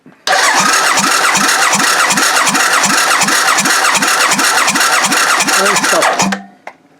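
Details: Motorcycle V-twin on the bench with no carbs fitted, dry compression test with the gauge on: even cranking at about 160 pulses a minute for six seconds, no start.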